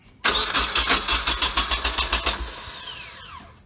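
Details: Nissan 240SX with freshly installed KA24DET swap, first start attempt after priming fuel and installing plugs; steady starter churning about 3.5 turns per second for two seconds, never catches; cranks but won't start, cause unknown.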